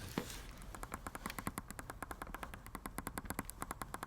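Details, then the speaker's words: Parking sensor tested by finger touch on a car being prepared for resale: a working sensor gives quick even ticking, about nine clicks a second, while neighbouring sensors are silent or dead; a wiring fault is suspected on the dead ones. "If you want to check if they work, you can just put your finger and you will feel like ticking and hear the noise. This one is dead. This one is clicking."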